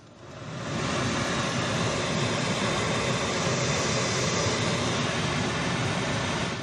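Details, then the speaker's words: 2015 Jeep Renegade blower running with a steady, even rush of air and no howl or hum. This is after removing a single leaf from the blower; the cabin filter looked fine. The fan noise is gone. "Nope, the noise is gone because of that one single leaf. I've never seen one leaf cause that noise. It's usually a few leaves."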